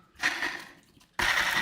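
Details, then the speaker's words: Worn aggressive inline skate wheel bearings spinning freely: a dry, rasping whir with a thin, steady high tone from old bearings that still roll. "that's some old bearings you hear that [ __ ] still roll though"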